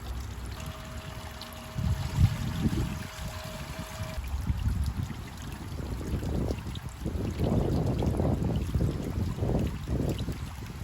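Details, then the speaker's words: 25W solar fountain pump after about 10 minutes running: uneven low churning and gurgling, a rough struggling motor note under the water splash, sounding like it is burning up; the pump failed and was returned. "okay you guys so i've been playing with this for about 10 minutes now on the recording and the pump is actually making noise and it sounds like it's burning up uh the pump has to go back"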